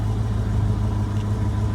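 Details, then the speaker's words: 1966 Ford Mustang convertible V8 just after cold start, idling to warm up before test drive: steady even low burble with regular pulses, no misses or ticks; normal warm-up idle. "beautiful all right beautiful cold start going to let her idle"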